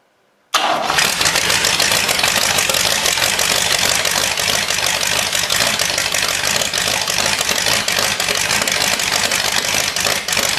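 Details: Cadillac 390 V8 started after sitting 8 years, with coolant added and the water pump dripping: catches straight away and settles into a steady, even idle with no misses or knocks, running smoothly.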